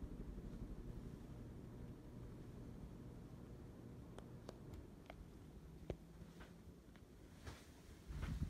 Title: Noisy ceiling fan